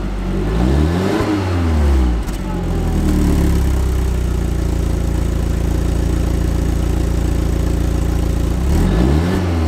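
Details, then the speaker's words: Neglected Audi TT, stock exhaust, cold start after standing a while, heard at the exhaust: deep note, a couple of revs, then a fast, even cold idle, nothing rough or rattly; healthy. "Right, let's go and check out the exhaust tone. Nothing like a good cold start to check the exhaust."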